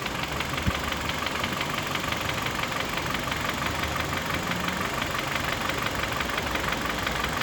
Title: стук двигателя g4kd киа оптима k5 2011 года это не клапана, это поршень